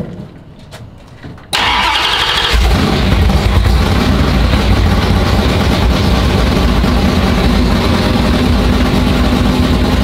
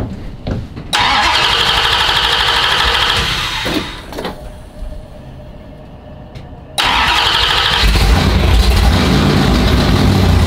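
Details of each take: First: Chrysler V8 race engine (440 or Hemi) after winter storage, oil primed by drill, timing set: catches and settles into a loud, lumpy, steady idle, no knocks or misses; it wants to die when given gas. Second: Chrysler V8 race engine (440 or Hemi) after sitting over winter, oil-primed to about 50 psi: catches with a bang, runs rough, sags and nearly dies under throttle, then recovers; cause unconfirmed.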